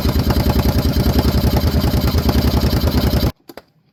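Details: 2014 Kawasaki Brute Force 750 fuel-injected V-twin ATV, earlier a no-start, now after repair: even, quick thump of about three beats a second holds steady before it cuts off; the engine runs normally.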